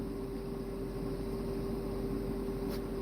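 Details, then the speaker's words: In a truck cab: a steady, unchanging high-pitched whine over a quiet cab hum. The whining continues and its cause is unknown. "don't know why that is. Don't know why that whining noise is."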